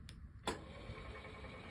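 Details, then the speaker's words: Topro Taurus E walker with a Concens C3 actuator controller, after a stuck height adjustment was reset by disconnecting the battery and pressing the button. A click, then a smooth, even motor hum in both directions. Works normally, though the fault may return. "works both downwards and upwards, but sometimes these come back the next day, and there's the same problem."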